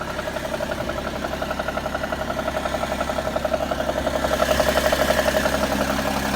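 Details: BMW E60 at idle: quick, even sewing-machine ticking, roughly three per second, riding over a quiet idle and growing slightly louder. An abnormal idle tick, source unknown.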